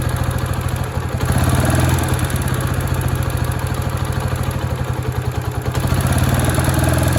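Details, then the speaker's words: Honda Sonic single-cylinder after top-end rebuild (new cylinder, piston, rings): loud rapid tapping clatter like loose valves, louder with revs, mild at idle, persisting after valve adjustment with cam chain not slack; piston striking the head. "วันนี้ช่างใจจะพาเพื่อนๆมาชมเสียงลูกสูบปะทะกันกับฝาสูบของHondaSonicหลังจากที่เราทำการการประกอบชุดบนนะฮะ"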